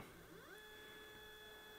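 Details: iOptron CEM120 mount declination axis slewing at motor speed 8 after a declination gear adjustment: smooth, even whine ramps up, holds pitch, winds down with no binding or grinding; normal motor slew.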